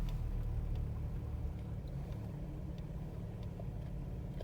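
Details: VG33E petrol V6 with a knock sensor code: uneven, lumpy idle with the beat wandering around three a second, keys rattling from the shake; rough idle from the knock sensor fault.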